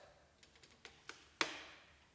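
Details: 1967 Ford F-250 with 5.9 Cummins from a 1993 Dodge Ram, not run for two to three years, fuel system primed; light taps then a crisp click as the fuel shutoff solenoid pulls in, working normally.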